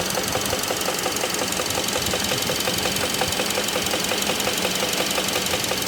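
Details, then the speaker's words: 2016 Kia Optima GDI, 78,000 miles, check engine light with code P1326, idling: steady knock about three per second from lower left of engine near pulleys and belts; oil had been dirty and low; lifter, rod or bearing suspected. "Check engine light on, air code P1326, accompanied by an audible engine knocking noise. Not a tick, but a knock, coming from the lower left area of the engine near the pulleys and belts."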